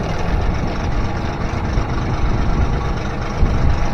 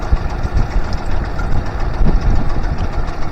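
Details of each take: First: Honda BF25A 25HP four-stroke three-cylinder outboard after fuel system overhaul, idle mixture set; steady even low idle with no misses or stumbles, idle possibly set slightly high; normal idle. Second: Honda BF25A (BF25AY) 25 hp vintage 3-cylinder four-stroke outboard with three stacked carbs, idle turned up while setting mixture screws: uneven low thumping with a stutter and jump, soft pops as screws are turned out leaner, a lean misfire starting.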